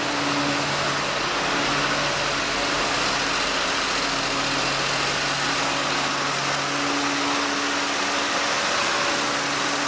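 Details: 1948 Ford F-5 truck, cold start after sitting unrun for over a year, on choke: even, steady running with a constant hiss and no stumbles or knocks; the engine idles smoothly.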